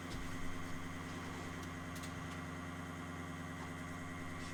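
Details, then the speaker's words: Nissan S13 240SX (KA24DET): a new Walbro 255 fuel pump, replacing a 6–7-year-old unit, runs on test after install with a steady electric hum and faint whine, louder than the old one. "I hear the pump going. Thing's pretty loud. It's way louder than the last one."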